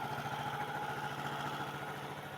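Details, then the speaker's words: Renegade 125cc after fitting a rockwool-packed 45mm x 140mm baffle to the top exhaust pipe, which was previously a straight pipe: soft, even idle with light engine patter and a mellow, quiet exhaust, no blowing or rattles; healthy. "yep sounds lovely it sounds like it should the engine is so quiet you just hear the workings slightly ticking over inside the exhaust pipe is sweet both of them"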